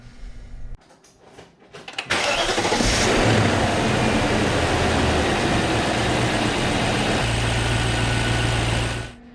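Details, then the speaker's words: 2000 BMW 540i E39 after replacing the crankcase ventilation (CCV) valve for cold rough idle, whistling and oil-cap suction: brief crank, quick catch with one rev flare, then smooth steady idle, no whistle or stumble; fixed. "the new CCB has been installed in all of the hoses have been reconnected so I'm gonna start the car and see if I mess anything up"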